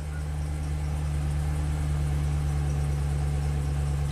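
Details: 2013 Chevy Silverado 2500HD after repairing a camshaft position sensor circuit fault (P0340, long crank complaint), no DTCs, CMP now counting: low smooth even hum with no misses, knocks or ticks; normal idle.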